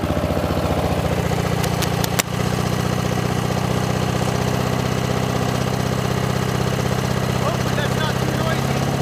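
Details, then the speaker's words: Lawn mower with swapped engine, first runs after swap, mic clipped beside intake filter at hard running: harsh, fast pulsing suck and rasp, loud and ragged; smoke appears afterward, owner thinks it still needs a catch can. "this thing is making an ungodly sound you can just hear it sucking air"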